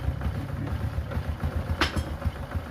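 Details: Honda Supra X 125 motorcycle, about 10 years old, after repairing a tek-tek ticking from the piston striking the block: low even single-cylinder putter at idle with no ticking on top; normal idle.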